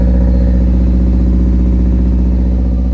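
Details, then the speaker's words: Honda EF hatchback with D16Z6 swap and new cheap open exhaust dumping over the control arm, first start without coolant, holding about 82–83 psi oil pressure: loud, raspy, even drone with a steady beat, no knocks or misses; running cleanly. "sounds pretty good. Let's go. Yo, that sounds pretty good. I can't run it too long because we don't got coolant in there, but we're holding oil pressure."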